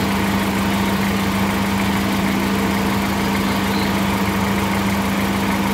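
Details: 2013 VW Voyage with the EA111 engine at steady idle, with a constant low hum and an odd droning undertone from the lower part of the engine. A strange noise, cause not identified.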